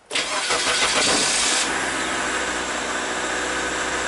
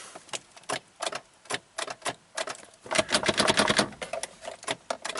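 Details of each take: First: 2003 Mazda Protege after no-crank diagnosis involving neutral/park switch circuit: brief starter whir, engine catches within about a second and settles to smooth steady idle; normal crank and start. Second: 2003 Mazda Protege5 automatic, 123,000 miles, timing belt recently redone and new starter fitted: key in park gives only light dry clicks, about three a second, no cranking; starts in neutral, pointing to the park/neutral shift interlock side.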